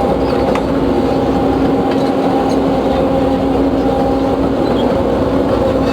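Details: Case CX210B excavator under load after minutes of work, throttle fully pressed: steady whine over heavy drone with power clearly down, hydraulic oil smelling hot; main pump noise suspected, not confirmed; dismantling planned.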